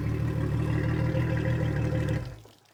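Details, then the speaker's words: 2003 Yamaha 225 four-stroke outboard, first start on a flush hose after a fuel system flush, with low compression on two cylinders: steady low idle hum, even beat, healthy sound. There was a slight miss at startup and on throttle, plus a backfire. "Sounds pretty good actually. Other than that little miss when we went to fire it up or we went to give it a little throttle."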